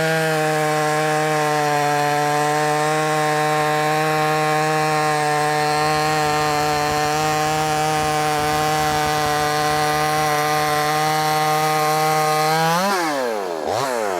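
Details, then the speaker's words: Brand-new, unbroken-in Wemars 6220 clone chainsaw, carb leaned slightly from very rich factory setting: steady high buzz holding pitch through the cut, then a quick rev swing at the end; loud, pulls cleanly, normal cutting. "It sounds good. It also sounds loud. And I guess what I mean by it sounds good, it sounds like it's going to be powerful."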